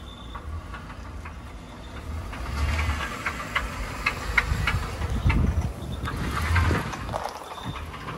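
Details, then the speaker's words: Ford Crown Victoria before frame swap: rough low idle with an uneven, dull knock underneath that comes and goes, knocking only about half the time; cause not yet found. "I'm very intrigued to pull it to pieces and just see what's up with the engine. Very intrigued. It only knocks half the time, so that means it's half as bad, right?"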